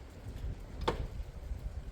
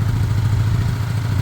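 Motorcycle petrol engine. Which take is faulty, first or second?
first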